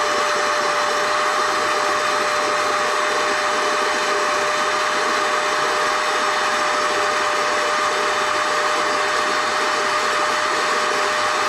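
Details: NovSight G5 6000A jump starter/tire inflator's built-in air pump, switched on and inflating an item until it is taut: even high whine, steady pitch, constant air rush, no surging or rattles; normal running.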